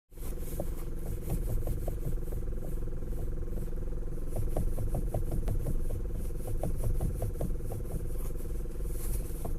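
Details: Hyundai Elantra HD: irregular dull clicks and knocks come in bursts over a quiet idle background as the wheel turns; a worn steering shaft universal joint (cross) is knocking.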